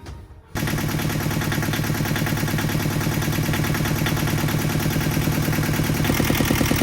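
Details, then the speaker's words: Yanmar 2GM20F two-cylinder diesel in a 1991 Hunter 30 after a new raw water pump replaced one with a wobbling pulley: even, steady chug with no rattle; wobble gone and runs normally, though the alternator belt is loose. "Huge difference, so we don't have the wobble anymore."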